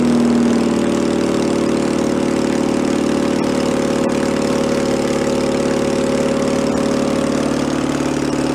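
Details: 1966 VW Bus flat-four engine from a barn, running out of the car, choke on: steady fairly fast hum never settling to slow idle; carburetor throttle sticking and not returning.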